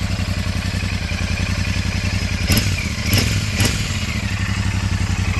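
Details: Royal Enfield Super Meteor 650 twin at 12,740 km after the bend pipe was swapped for a new one; the old one was making an irritating noise and had turned blue. Even idle thump with three quick blips rising and settling cleanly, no rattles or leaks; healthy exhaust.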